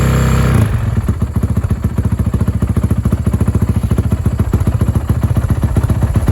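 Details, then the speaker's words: Honda 450 first start after rebuild following a snapped crankshaft: fast, uneven top-end clatter over a low thump; owner suspects loose valves, not confirmed. "So it did start up. To be honest, the motor does not sound the best. It sounds like the valves might be a little loose or something top end wise."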